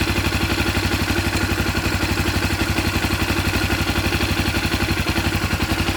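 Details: 2014 Honda CB 300R at idle: steady idle with a fast, even metallic rattle of about four ticks a second, which the owner identifies as cam timing chain noise.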